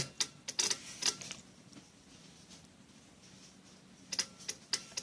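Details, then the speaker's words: Mercedes SLK R170 Kompressor non-start, K40 relay box: dead ECU relay replaced by the soldered-in air pump relay, box powered: crisp relay clicks from the ABS and new engine control relays; both pulling in properly. "Annetaan virtaa tänne ja siellä pitäisi naksua 2"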